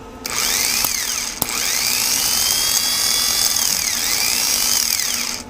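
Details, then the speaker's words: 1987 Toyota 4Runner, 1st gen, 22RE engine: a high, smooth electric whine as the starter motor spins freely with no gear clash. The Bendix drive is not coming out, so the starter is broken and is replaced. Starter drive not engaging. "the bandits against the Bendix here is not coming out so I think this started man I gotta have a starter anyway because it's broke"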